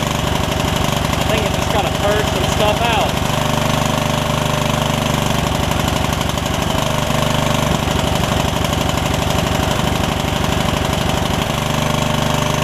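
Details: Yard Machines riding mower single-cylinder, just revived from a water-filled engine, fires at about 3.5 beats a second, uneven and lumpy with stumbles. The owner suspects it is running a little rich; the valves were not gapped after the fix.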